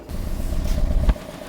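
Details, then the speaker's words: 2016 Toyota Corolla 1.6 petrol with over 100,000 km and unknown history: rough, lumpy idle with uneven low thumps from a heavy misfire. Codes P1603, P1604 and P1605 are stored, and the misfire is traced to two faulty ignition coils, one dead and one weak. "1 lakh से ऊपर चली हुई है और अभी भी इन्होंने खरीदी है और गाड़ी बहुत ज्यादा मिसफ कर रही है।"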